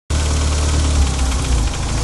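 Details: 1994 Mitsubishi Eclipse GS-T making a noticeable clicking in the engine bay at idle. Loud steady idle with a fast light valvetrain-type tapping; owner suspects lifter tick, source not confirmed.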